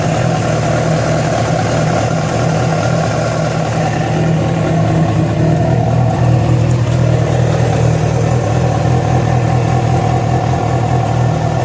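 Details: Yamaha FZ6 four-cylinder idling and revving, with abnormal engine noise that began after riding about 70 km on two cylinders because of a failed ignition coil connector: uneven, rough pulsing undertone under the exhaust; source unclear.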